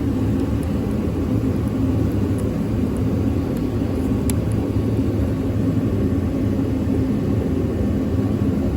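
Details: 2014 Ford 5.4L V8 truck that had a crank-no-start, after a fuse jumper was wired between slots 48 and 27: it starts and runs with a steady, even low rumble and no misses, knocks or ticks.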